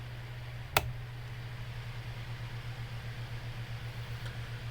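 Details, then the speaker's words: Bathroom exhaust fan after cleaning and oiling previously seized motor that hummed and turned slowly, on low speed: smooth, even low hum with no rattle, scrape or speed wobble; normal fan run. "oh look at that guys that is running so much better well look at that that is how this fan should run"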